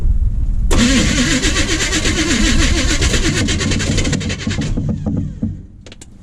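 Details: 1980 Chevy K30 small-block 350, first start attempt in snow, fuel poured in carburetor bowl: starter cranks quickly and evenly for about four seconds but never fires; likely not getting fuel.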